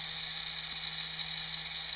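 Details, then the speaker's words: 3Doodler 3D pen drawing: a loud, steady, high fan whir with a faint low feed-motor hum and no knocks or rattles. The owner notes the fan is really loud. Fan and feed running normally. "You can hear, oh yeah, the fan is moving. You can hear the fan is really loud. I hear the new one, I think, is supposed to be quieter, but don't trust me on that."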